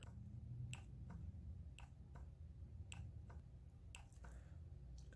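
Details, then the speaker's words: EVAP vent valve inside a leak detection pump, bench-tested by connecting and disconnecting battery jumper wires: sharp, crisp clicks in pairs about once a second, showing the vent valve works. "But it is clicking. Every single time that I go to touch it, I could hear it and it is clicking. So, basically, since I could hear it clicking, I know that vent valve is working."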